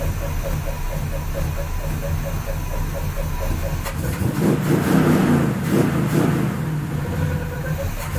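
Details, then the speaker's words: After fixing a warped header collector flange, flattened and clamped together with vice grips: even, steady idle with smooth exhaust pulse and a quick rev blip, no puffing or ticking at the manifold; no more leaks. "i did have to go down with a pair of vice grips and clamp the two pieces together to roll the flanges together but no more leaks"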